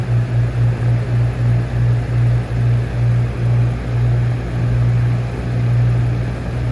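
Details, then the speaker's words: 1999-2000 Lasko box fan model 3733 with flower petal blade on medium speed: low hum throbbing about three times a second with a dull rumble underneath; motor bearings dry and needing oil. "Yeah, I'm sure you guys can hear the bearings. They're dry. So I'm gonna get it some oil,"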